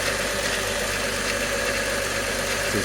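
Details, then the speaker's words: 1998 VW VR6 12v after spark plug change, cold Colorado winter: steady, even idle with no misfires, slight timing chain noise. "oh yeah no misfires she sounds good a little bit of that timing chain right here a little bit usually it goes away but no misfires nice idle"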